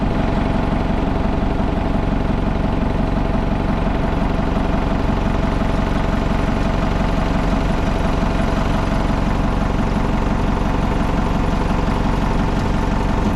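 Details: Old Hitachi excavator diesel, abandoned possibly over 10 years, started: steady, even idle at about three pulses a second, no stumbling or dying; holds idle cleanly.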